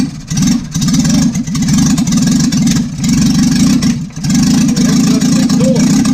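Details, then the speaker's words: 1955 Morris Minor with engine and gearbox just installed, end of day one, not yet driving: firm steady beat with a few throttle blips, holding speed without cutting out; normal running. "So there we are, end of day one, and we've got a running Morris Minor, not driving yet."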